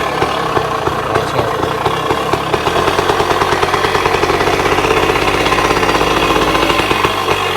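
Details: 1966 Bultaco Lobito two-stroke motorcycle after yearly storage: crisp busy idle with quick steady exhaust pops, holding even as it warms up; normal two-stroke idle.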